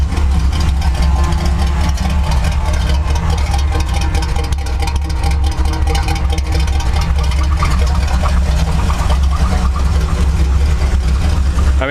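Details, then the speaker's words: Chevy C10 truck V8 at idle: deep, uneven, lumpy beat with occasional stumbles, a rough-running misfire; owner suspects ignition (plug wires, coil or distributor) and notes it smokes, probably from worn rings. "but it doesn't really help that the uh engine misfiring so it's got an ignition I think plug wires coil uh distributor somewhere in there but you can totally hear it's not running it's not running smoothly"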